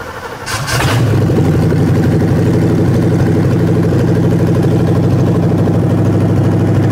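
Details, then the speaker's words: Ford 302 V8 for a 1967 Mustang, hard-mounted on an engine stand, idle mixture screws set 1.5 turns out: fires almost at once into a loud, steady open-pipe idle with even firing, 23 inHg vacuum dropping to 21 at low idle; timing about right; normal idle. "It's gonna look a little rough when it's idling because it is hard mounted to the stand."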